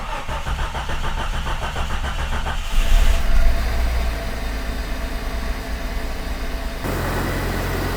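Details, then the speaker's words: 1996 Jeep Cherokee XJ first start after new timing chain, sprockets, harmonic balancer and gaskets: starter spins briefly, engine catches and settles into a steady even idle, no knocking or rattle; sounds a lot better, normal start. "So far so good. Sounds a lot better."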